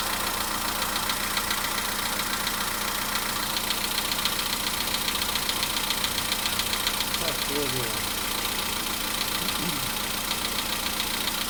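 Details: Volkswagen Polo Sedan cold-start engine knock: light regular tapping about twice a second over a cold idle, still faintly heard near 4:40 minutes at 55 degrees; cause unknown.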